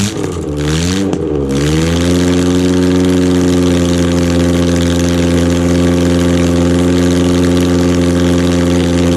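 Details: 1991 Ford Pinto 2.0 OHC, 202 block from a Transit, freshly rebuilt, at its first test fire: two quick throttle blips, then a steady, even hum with no knocks or ticks; sounds healthy.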